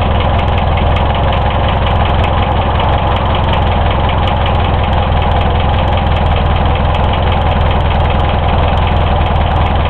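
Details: Hillman Imp engine, freshly reassembled, one of its first starts: loud, heavy knock steady with the idle under deep rumble; bearings and tappets checked within tolerance, oil full; source unknown.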